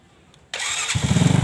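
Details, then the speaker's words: Motorcycle electric start after repairing a fault where the starter spun but the engine wouldn't fire: a short starter whirr, then it catches at once and settles into a steady, even idle; normal start. "oke kita langsung coba kita hidupkan ya teman-teman kita kunci kontak Nah kita Nyalakan langsung nyala"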